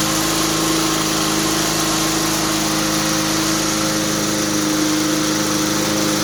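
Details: 2004 Cub Cadet Cyclocut mower, Kawasaki 179cc ~5.5hp, cold start after one bulb prime, barn find that cleared farm brush since 2004; steady even single-cylinder buzz, no misses or knocks; tricky to start but fires up nicely; normal running.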